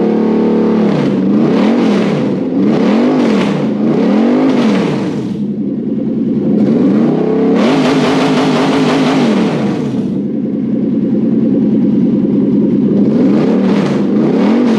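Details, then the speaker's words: Toyota 1UZ-FE VVTi V8 on bench with manual wiring loom for Hilux swap, stale petrol: strong repeated blips rising cleanly to the rev limiter, no misses or knocks; normal revving. "i found the revlon that sounds better like that"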